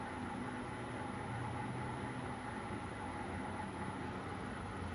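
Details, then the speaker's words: CNC milling machine axis at slow 25 speed after gib and backlash adjustment: smooth even whir with only bearing rotation heard, direction-change click much quieter, no knocks; ball screw running healthy. "you can hear now that the only thing the sound that's going on is just the bearings in here rotating"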